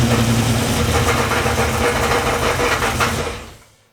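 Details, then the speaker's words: Turbo street truck build, first start before turbo fitted: sharp ticks about four a second over a rough idle before engine dies; noise thought top end, maybe lifters, unconfirmed; water then seen from exhaust, blamed on gasket paper, oil filter to be checked. "What's making that noise? Where is it making that noise? sounded top end."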